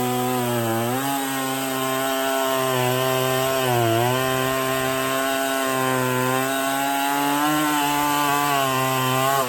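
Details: Stihl 024 chainsaw after carb tuning and makeshift aftermarket air filter, cutting firewood; high steady scream dips briefly as the chain bites, no stutter or miss; sounds good up high; normal cutting at high revs.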